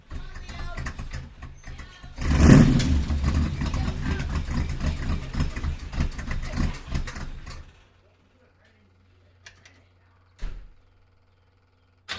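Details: 350 small block V8 after new valve cover gaskets and valve adjustment for a driver's-side problem: runs about six seconds with an uneven, clattering top-end knock, then shuts off; a bent pushrod and broken valve spring were found.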